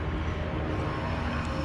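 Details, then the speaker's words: HVAC package unit at a store with no cooling: steady rough low rumble with dull grinding edge, no clean hum; worn blower motor bearing, to be replaced. "That blower motor sounds like dog [ __ ]"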